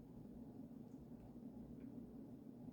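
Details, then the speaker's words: Vintage Emerson 1895 Series 52-inch four-speed ceiling fan with KB55 motor running on high: steady low motor hum with a faint buzzy tone, no knocks or rubbing; noisy motor hum, no clear fault. "Makes a little bit of motor noise, like motor hum, which I don't know. KB55s pretty hit or miss. I've experienced some that are dead silent and some that are pretty noisy like this one, but they're nice powerful motors."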